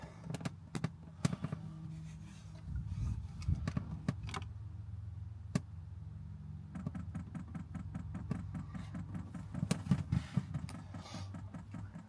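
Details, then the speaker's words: 5kW Chinese diesel heater newly installed in a VW Caddy camper, powered from a Jackery 1000 v2, switched on: sharp regular dosing-pump ticks over low hum, sparse then about four per second, air in the line; normal fuel pump priming. "Oh. That's it priming. You can hear the little ticking. Looking good so far."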